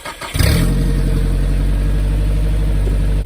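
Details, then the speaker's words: Nissan Hardbody 4x4 pickup started for the first time in seven months after the fan and pulley were refitted: the engine cranks, fires and settles into a loud, throaty run with a puffing low rumble from a bad exhaust leak. "I do gotta Wicked exhaust leak as you can hear but we're gonna go run our stuff to the scrap y"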